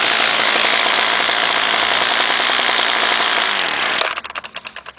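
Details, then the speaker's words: Homelite direct-drive trimmer unstarted for about two months, choke worked by screwdriver, started quickly: crisp, high-pitched two-stroke buzz holds steady at speed, then shuts off and coasts down; runs cleanly. "okay wow look at that that's already pretty quick for Home Light especially sitting for that long"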